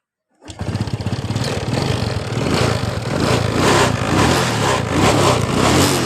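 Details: Honda Wave 125 R motorcycle with a weak battery, started up; small single fires, then revs rise and fall evenly with no knock or rattle, engine sounds fine.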